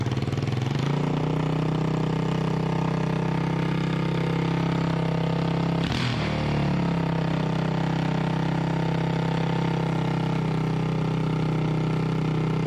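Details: Freshly rebuilt 1988 Honda TRX200SX single-cylinder engine, out of frame, bored .020 over, new crank bearings and seals; even steady idle with smooth low thump, no knocks or rattles, runs like new: normal idle.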